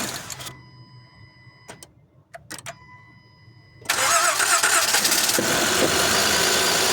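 Quiet until about four seconds, then cranking, a clean catch and a smooth, even idle with no knocks or ticks.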